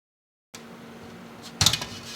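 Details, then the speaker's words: Scythe Fuma 2 Rev. B dual-tower CPU cooler fans at full 1500 RPM, recorded 20 cm away, about 4 dB louder than original: steady airy rush with faint low hum, one brief knock midway; normal fan noise. "Noise-wise, 1500 RPM does result in about plus 4 decibels measured from 20 centimeters away, and let's just take a quick listen to what that sounds like."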